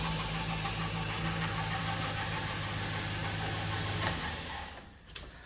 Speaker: a pretty pronounced noise. Nothing that I can detect would say, hey, that's definitely bad right there.